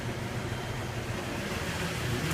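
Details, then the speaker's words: 1961 Chevy truck after a thermostat replacement and a new valve cover seal: it starts right up with no gas pedal and the choke off, then settles into a low, even, clean idle with no misses or knocks, running much better. "starting right up great it's running great I mean I couldn't be happier it's running a lot better"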